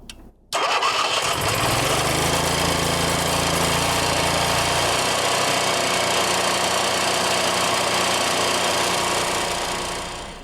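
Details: Cummins Onan RV QG 4000 generator after a carburetor replacement, altitude screw set for about 2300 ft, float bowl primed: a quick crank, then it catches and runs steady and even until shutdown. Normal start and run.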